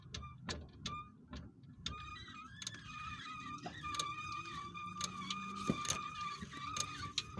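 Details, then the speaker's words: 1985 Chevrolet Caprice with the rear wheel raised, driveshaft turned forward by hand at the transmission tailshaft: a high, whistling squeal with irregular clicks, quiet when turned in reverse, and some play. The owner wonders whether the cause is a seal or a bearing. "И вот такой звук чудесный. Поет или скрипит. Что это? Сальник или какой-то подшипник."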